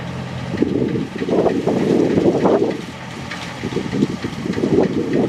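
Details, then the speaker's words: Massey Ferguson 40 combine with Valmet six-cylinder diesel, harvesting after sitting three years, with elevator chain and reel connection tightened: even, sweet diesel hum under working load with no knocks or misfires over the harvesting clatter, so it runs normally. "Just listen to that Valmet 6-cylinder. Oh, what a sweet sound. That thing is running so beautifully."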